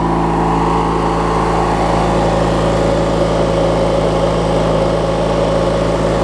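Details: Craftsman LT1000 riding mower with a swapped-in opposed-twin engine, running after refueling and restarting; steady, even low drone with no misses, knocks or rattles; twin idles smoothly, normal healthy idle.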